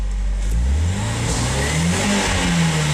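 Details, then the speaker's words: RHD Nissan 180SX, warmed up: revs climb unevenly, hesitating around 3,000 rpm with backfire pops from the exhaust. Crank angle sensor timing was found adjusted all the way to one side and the fuel smells bad; timing or bad fuel suspected. "really hesitant. It's backfiring out the exhaust. You can see it hesitate there at 3K. You hear the backfire out the exhaust."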